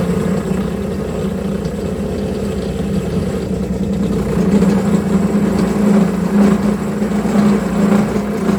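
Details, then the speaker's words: Homemade milling machine cutting steel at 1900 rpm spindle speed after reducing table play: a steady cutting roar with a rough, rattling buzz. Remaining play in the setup lets the cutter chatter. "it surely cuts much better but there's still too much play in the entire setup you can hear it shatter a lot but all the problems can be fixed"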